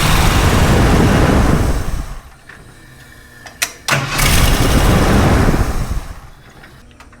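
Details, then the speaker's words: Ford F250 with a 460 V8 and a newly fitted Holley Street Avenger 670 CFM carb, first start: fast, surging high idle that won't settle; owner suspects a vacuum leak despite plugging everything, not confirmed. "so we need to figure out why we're running so high it definitely sounds like we've got a vacuum leak although we shouldn't I'm certain that I plugged everything but we'll give it another look and try it again at least it runs I mean that's a good sign it just runs a little on the fast side"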